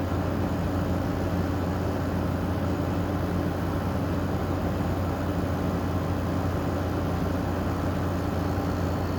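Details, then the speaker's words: GE 5050 BTU window air conditioner made in 2016 (made by another manufacturer), running after startup and blowing about 48 degrees: smooth, even low hum with steady airflow hiss, no rattles or surging, surprisingly quiet; normal running. "these weren't too bad surprisingly quiet actually for something as modern as it is"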